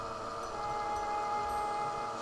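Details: Laptop CPU fan with abnormal noise before disassembly and regreasing: steady thin whine at one pitch with no rhythm change, suggesting a dry or worn fan bearing; cause suspected, not confirmed.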